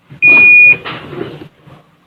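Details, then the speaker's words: Panasonic washing machine after repairing a broken trace on the control board, which had left buttons including start not working. One clean, steady high beep about half a second long at the button press; the display lights and the panel responds normally. "กดติดมีเสียงมีตัวเลขขึ้นปกติครับใช้งาน"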